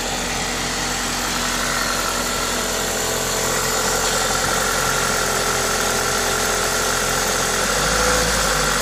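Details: Toyota 2ZZ-GE four-cylinder at idle with an aftermarket induction kit: smooth, even idle under a steady intake hiss from the kit, no knocking or uneven beats; normal, healthy engine noise.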